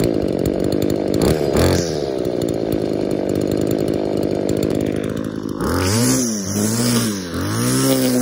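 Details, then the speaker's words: Scavenged two-stroke saw, owner suspects the carb metering diaphragm lets air into the metering side, so the low-speed screw is set richer to idle; throttle blips give a soft, blubbery burble instead of a crisp scream; rich running. "I actually think it is letting a little bit of air back in to the metering side of the carb and that's why it's not quite running like it should I have to run it richer on the low speed screw so that it idles"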